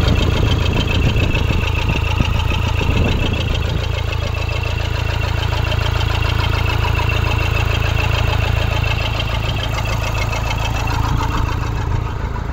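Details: 2013 Toyota Hilux 1KD diesel, 171 hp, after a new original number 4 injector was fitted: steady, even diesel clatter at idle with no misses or hunting. Normal while still fresh; the injector 3 fault only appeared later, once warmed up.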